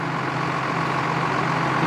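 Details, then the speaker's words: Cleanfix reversing fan after repair, installed on a diesel forestry machine: a steady, unbroken rush of air over a low diesel drone as the fan reverses, with the covers blowing open; working as it should. "cool that's how it's supposed to work Lee"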